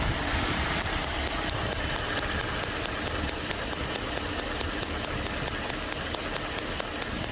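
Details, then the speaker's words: Dodge W300 Club Cab with a random misfire, checked spark lead by spark lead: crisp, even snapping about four times a second over the idle that never misses a beat; the ignition spark on this lead is healthy. "never missed a beat let's do number uh I guess that was two that was three wasn't it well here's numeral 5-0 thank you never missed a beat"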